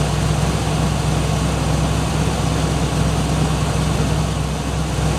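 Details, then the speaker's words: 1967 Buick Riviera V8, cold start after battery replacement: deep, lumpy idle with uneven beat and shaking from a cold-engine misfire, revved a bit to warm up and starting to smooth out. "wrap it up a bit to clear up the misfire see it's shaking it's going to get a little heat into it starting to smooth out pretty good"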